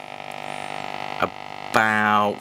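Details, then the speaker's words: Restored Hacker RP18 Sovereign radio on medium wave: steady buzzing hum, then a loud warbling whistle sweeps in as tuning nears a Spanish station; interference hum, receiver sensitive. "There's another Spanish station, and you'll hear this interference as I'm getting nearer."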